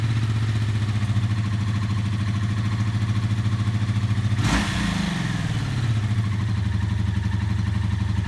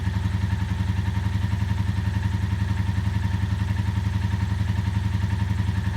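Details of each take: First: Barn-find 1984 Honda V65 Magna VF1100C, first run after the clutch was bled and the fuel was flushed: an even, lumpy V4 idle with one throttle blip that sounds nice. Owner is unsure whether the engine is clacky or on all cylinders; no smoke, small oil leak. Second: 1984 Honda V65 Magna VF1100C barn-find V4 at idle on first start: steady lumpy idle with regular uneven beat; owner unsure if engine is clacky and not convinced it's running on all cylinders; possible misfire, no smoke, small gasket oil drip.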